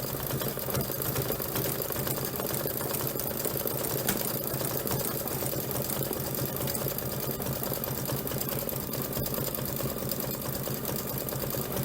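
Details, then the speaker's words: Embroidery machine stitching a hoop sampler with a needle thought fairly new; steady stitching about seventy per minute with a rough, uneven edge to each stroke; dull, worn needle. "I don't know if you noticed that, but I could hear the sound of my needle kind of running rough in there. And so I thought it was a pretty new needle, but I'm guessing that it wasn't, because it normally wouldn't make that kind of rough sound."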